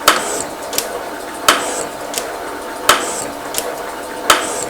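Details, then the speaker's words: Metal shaper at 42 strokes per minute with a large brazed carbide tool, replacing a failed M35 bit, machining a rail. A steady clack about every 1.4 seconds with a lighter return tick and no chatter; normal cutting. "I'll also say that there's uh still the same machine noise but there's very little tooling noise now which with the high speeded still you could hear it gruning its way through the job"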